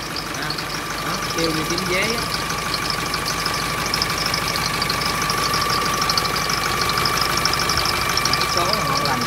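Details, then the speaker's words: 2015 Veam truck with Nissan diesel engine at idle: steady chirpy cricket-like squeal over a fairly smooth idle without changing pitch; slipping drive belt, said to stop when water is poured on it. "cũng khá là êm nha cả nhà là kêu dây Coro nha kêu như tiếng dế cả nhà nhiều xe cũng kêu vậy ha"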